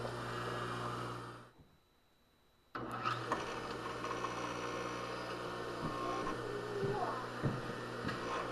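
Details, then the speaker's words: Rebuilt Craftsman table saw motor after freeing bearings and regreasing: steady low hum at even speed, faint rattle from the mount, new and old grease settling in bearings; healthy normal running. "okay some of that rattle is just the mount yeah I think we're fine I believe that uh new gree and old Greece was getting acquainted and they weren't necessarily happy but it's going to be okay"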